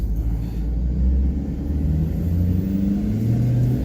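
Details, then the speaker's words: 2011 Ford F250 6.7 Powerstroke at about 200k miles, after the cracked factory plastic intercooler pipe was replaced: under full throttle the diesel rumble climbs smoothly with no boost-leak hiss, quieter than before. It now reaches 10 psi boost, where it previously leaked. "10 already oh yeah it sounds better so quieter"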